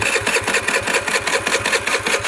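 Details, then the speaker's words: Tao Tao Pony 50 moped (QMB139 engine) with Mikuni 22 carb, about an 80 jet running a little rich: small single thumping slowly and unevenly, near stalling; owner thinks idle is still set too low. "What? I think the idle's too low still."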